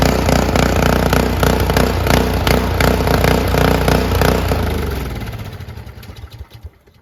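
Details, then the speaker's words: After ultrasonic cleaning of the varnished, clogged carburettor, a curb-find Honda HS520 single-stage 4-stroke snowblower putters evenly at about 200 beats a minute with no misses or surging, then winds down smoothly on shutoff. Normal running after the repair. "But this thing runs great and it looks great now."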